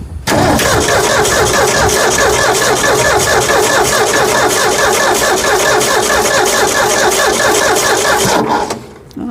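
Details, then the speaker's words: 1965 Ford F100 240 six-cylinder, after carburetor replacement, cranked with coil disconnected to draw fuel up to the filter; steady, fast starter chugging for about eight seconds with no firing. "let's throw cable back on not going to put fire on the coil yet I just want to see fuel get up to"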